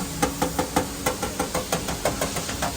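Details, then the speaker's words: Porsche panel metal finishing, dolly under the panel's low spot: crisp, solid taps about five per second with no hollow ring, showing the dolly is correctly located beneath the low area. "I want to hear a solid sound like that, not this. I want to hear that."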